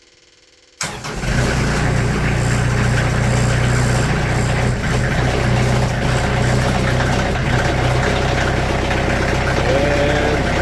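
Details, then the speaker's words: Sawmill diesel at just over 30 hours, cold start below freezing in Wisconsin after 2 weeks unused, glow plugs held about 10 seconds: starts on the first try, two small stutters, then settles to a steady low rumble; healthy. "And again, that's a cold crank right there. Did 2 little stutters, but after that, she's purring good."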